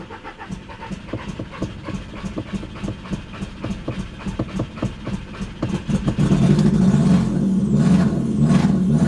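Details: Audi TT after sitting 7 years: uneven chuffing pulses about four a second that stumble and surge, then revs catch and roar up; owner suspects bad gas; rough idle.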